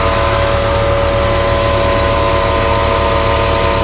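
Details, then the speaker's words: Bentley Continental GT on a cold start: the idle is uneven and lumpy with a loping beat about 2.5 times per second, and it does not sound like it is running on all cylinders. The cause is unconfirmed. "I'll tell you something. It doesn't sound like it's running on all of its cylinders."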